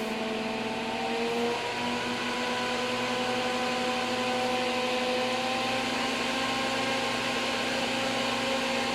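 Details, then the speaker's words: NOEVSBIG all-metal solder fume extractor fan started on high speed: steady whirring hum slowly climbing as it creeps up to speed, smooth and even with no rubbing; normal run-up. "it takes a while to get up to speed but that's okay we'll crank it up a little [Music] see how it kind of takes its [Music]"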